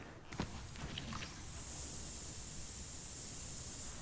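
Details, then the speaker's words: Gen 4.3 Chevy Silverado: AC Schrader service valve leaking refrigerant despite its cap, oil underneath; steady thin high-pitched hiss after handling, owner certain this is why the AC doesn't work. "right that is the Schrader valve leaking and you can see there's oil all under here this is the refrigerant that's been leaking even though it's got a cap it's not holding"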